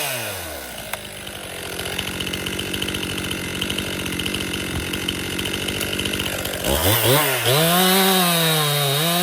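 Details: Warm Stihl MS261 M-Tronic chainsaw restarted after five minutes' rest: idles evenly, but on throttle revs climb sluggishly and sag twice before catching, a lean bog; owner suspects it needs a carburetor service.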